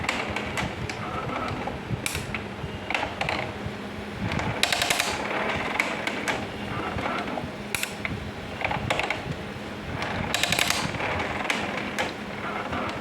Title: HP LaserJet MFP M227 printer noise problem